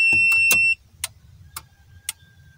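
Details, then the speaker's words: Daihatsu Charade Turbo (red) fuel pump system after repair, tested with starter feed disconnected so engine won't run: key-on brings a short high buzz under a second, then faint regular ticks; normal fuel pump priming. "tapi saya ingin tahu apakah akan bunyi cetak cetek atau ada suara pompa bensin terdengar"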